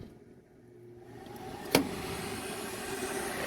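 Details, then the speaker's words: Lennox rooftop package unit: sharp click then motor whir rising as the inducer starts unexpectedly on low speed, backfeeding through ground only when connected to ground; rare fault found investigating squeaking noise. "So somehow this motor is backfeeding through ground only when it's connected to ground. And that is powering our, I believe it's the low side, our low speed, because just judging by the sound and the amount of air coming out of there, it just seems to be our low side."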